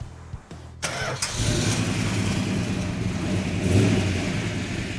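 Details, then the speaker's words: 1967 Plymouth GTX 426 Hemi 4-speed convertible after full restoration, start before its first test drive: short crank, then the engine catches and settles into a deep, steady lumpy idle with no knocks or misses; sounds healthy. "That sound nice? Oh, Sounds healthy. it does."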